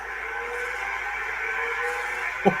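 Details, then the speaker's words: Macintosh IIx hard drive powering up after the logic board recap: a steady thin whine as it spins up, then a sharp click, described as horrible; the Mac shows a flashing question mark. The drive is failing. "We have liftoff. That's the most horrible sound I've ever heard. Yeah. That drive is toast before I got to it."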